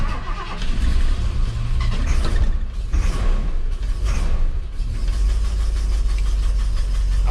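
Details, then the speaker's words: 1978 Ford F100 V8 with Holley carburetor, restarted after reassembly: rough, lumpy running with uneven stumbling beat and dropped firing pulses; owner suspects bad pickup coil or a part broken during work, cause unclear; heavy misfire. "yeah we got a heavy misfire that does not sound good at all either that pickup coal is bad"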